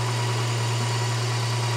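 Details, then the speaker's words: Volvo 240, warm engine before its MOT: steady, fairly quick even idle with no misses, held high at 1100 rpm with the right-hand idle adjustment screw at its maximum while the mixture, which smells a bit rich, is being set. "c'est la vis de réglage du ralenti à droite et donc c'est très chaud n'entrera plus, c'est 1100, c'est au maximum"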